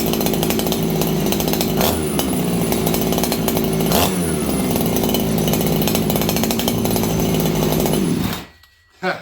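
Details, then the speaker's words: Farmertec 288XP kit chainsaw after ignition repair and new plug, at about 5°C: high, thin, steady buzz with little body and no four-stroking, then cuts off; running lean in the cold, tuning screwdriver fetched. "This thing's running lean right now, and the reason is, friends, it's like 5 degrees Celsius."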